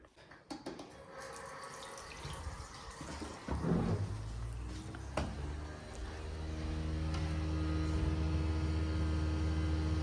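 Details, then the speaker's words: Worcester boiler fires up after the tap is run, giving a loud, rough, droning rumble; the plumber suspects a worn bearing plate in the fan, and the right-hand block was replaced about a year earlier. "Bearing plate. Yep, that sounds like bearing plate in the fan to me. It's definitely something to do with the fan anyway,"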